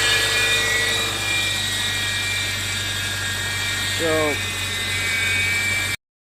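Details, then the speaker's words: 2002 Subaru Forester at startup: a steady, hissy, rough whir over the idle from the front-end belt area, likely the idler pulley on the bolt; a belt fault is also possible, diagnosis pending. "So if your Subaru sounds like that, it's one of multiple things. It could be something up with your belts. More than likely it's going to be one of your pulleys, and usually the culprit is that one right there that's attached to that little bolt. It's called your idler pulley,"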